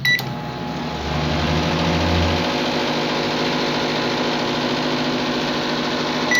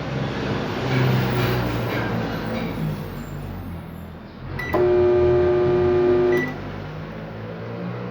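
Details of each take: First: Microwave that made noise and wouldn't heat, after replacing capacitor and diode, fan disconnected: keypad beep, then steady even transformer hum, normal running, ending on a beep. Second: Microwave makes a harsh, loud high-voltage buzz and doesn't heat; capacitor or high-voltage diode suspected shorted; fixed by replacing the capacitor and diode.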